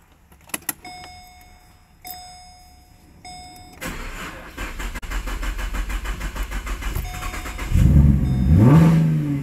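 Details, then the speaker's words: Holden Commodore with a dying battery, very cold start: a few chimes, then about three seconds of cranking at roughly three beats a second before it fires and revs; slow hard cold start, weak battery suspected. "and the battery is dying on this car did someone say cold start very cold start"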